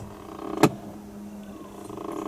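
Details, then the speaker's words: Mercedes AMG 55 with rich/lean codes and a misfire, engine off, ignition on: two sharp clicks about 1.7 seconds apart over a faint motor hum from a changeover-valve flap actuator, possibly with broken gear teeth. Suspected, not confirmed. "thing we notice is the flap motor for some kind of changeover valve is clicking, which means probably it's got broken teeth or something."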